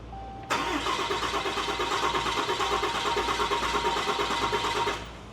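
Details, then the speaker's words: Newly installed built 6.7L Cummins diesel (Tow Monster Plus), second start attempt after key cycled to prime: even starter churn about four and a half seconds, never catches; cranks but won't start, air in fuel system. "Okay, that's enough. It should have fired by now. Yeah, it should have went by now."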